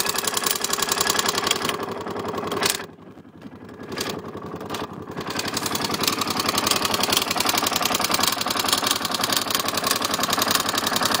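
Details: KTM LC4 single: an uneven dry clatter of about two taps a second over the running note, coming from the manual decompressor, which was not adjusted during reassembly.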